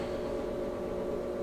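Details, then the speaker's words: Whirlpool WTW5610XW3 top-load washer, complaint of loud banging, on empty-tub slow spin during diagnostic test: smooth steady motor hum with constant mid tone, no bangs or thumps; sounds fine here. "depending on your model some of them will have a slow spin which this is in here occasionally you get lucky in the software and there allows it to go into a high spin and just depending on manufacturing so everything sounds fine to me right here"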